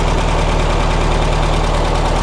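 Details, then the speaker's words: 1967 VW Karmann Ghia air-cooled flat-four, sat since 1975, warm idle; even steady low thrum, regular firing pulse, no knocks or ticks; smooth healthy idle, but a bad leak, seals suspected. "Let's see what the engine's doing. Sounds like it's warmed up pretty good."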